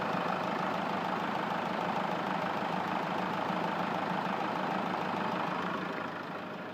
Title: Посторонний звук в двигателе Hyundai grand starex